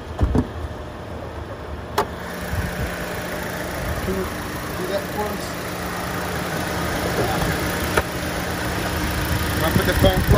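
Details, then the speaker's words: 2014 Chevy Cruze 1.4 turbo after PCV/valve cover replacement fixing P0171, P0106, P1101 codes: steady idle with no hiss or suction from the valve cover, only handling clicks; vacuum leak gone. "no noise there's no suction going on here there it is that's how you do it guys"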